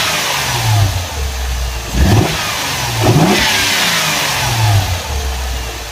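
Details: 2007 Mercedes CLS 350, M272 engine: two quick revs from idle with steady high hum riding over engine throughout; owner asks source of noise, cause not pinned down; unexplained engine noise.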